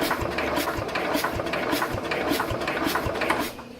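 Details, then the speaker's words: 1969 Bolens 850 tractor, Wisconsin S8D engine with original Zenith carburetor, first start attempt after 3+ years sitting, rusty plug, battery charger on: slow, labored cranking with a soft exhaust puff about every half second. Not catching. "Fingers crossed, right? Jeez, even with the battery charger on it, it's turning over kind of slow."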